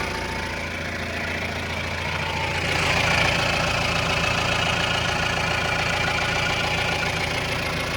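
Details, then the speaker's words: 2018 Mahindra Roxor diesel idling after a start following a couple of days parked: an even, steady diesel clatter with one brief rev that settles right back. Normal, healthy idle, still running strong without issue. "Whoa. Nice. Just love that sound."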